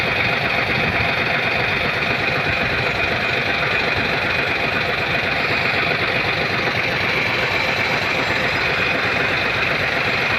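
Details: Hino 700 with E13C diesel, low power and hard starting: loud idle with an uneven, loping beat of about two pulses a second, rough idle from misfiring, malfunctioning injector #5.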